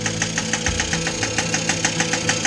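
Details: 1983 Honda Express II NC50 two-stroke starting after carb strip and clean for cutting out when warm (sticking auto choke): quick even putter about five beats a second with crisp exhaust crackle; normal running.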